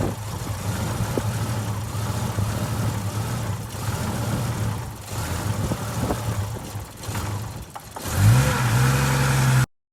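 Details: 1997 Jeep Grand Cherokee ZJ with error codes 12/55: rough, uneven idle that stumbles, then a rev that climbs unevenly; misfire with lost spark and stalling, traced to a failing ignition coil.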